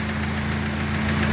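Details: Dodge Neon race car with a replacement engine, warming up after a coolant temperature sensor swap: steady idle with a faint, quick valve train tick; cause not pinned down.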